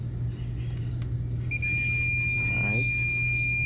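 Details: Hamilton Beach A3221 iron, 120 V 1200 W, constantly heating; thermostat tested with wires disconnected, steady continuity beep unbroken as dial turns, T230 contacts stuck closed; replaced with donor T250 thermostat.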